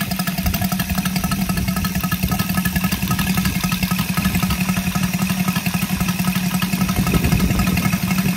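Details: Brand-new Saito FG-73 five-cylinder radial, fully upgraded with Morris Mini Motors hardware and exhaust ring, on a Biela 20x10 four-blade prop (600–5500 rpm): steady, even popping beat with throaty low drone, no misses or stumbles; normal, healthy running.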